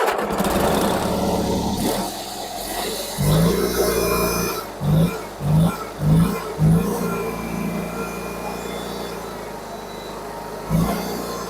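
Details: Garden tractor with a Magnum engine, 50-inch deck and power steering, on a cold start: low steady single-cylinder thump that catches and settles, with a few short revs. Starts easily and idles smoothly; normal cold start and idle.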